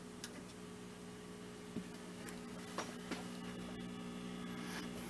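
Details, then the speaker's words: Hallicrafters S-120 four-tube shortwave receiver (1960–63) with selenium rectifier, before recap, on a dipole antenna: steady low buzzing hum under faint static while receiving band four; constant hum, recapping planned, cause not confirmed. "it is picking up on band four and it's picking up on the other shortwave stations but there is a hum so i do want to recap it let me see you might be able to hear the hum"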